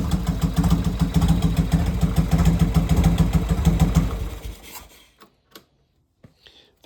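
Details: Harley chopper V-twin after a full rebuild and repaint: deep, steady thumping idle at about three and a half beats a second, even and unbroken until shut off; normal idle.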